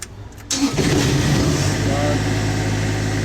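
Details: Niftylift HR28 diesel engine after CAN bus fault diagnosis (errors 27 and 21, no codes now), started after preheat: cranks, catches within a second and settles to an even, steady idle; a clean, healthy start.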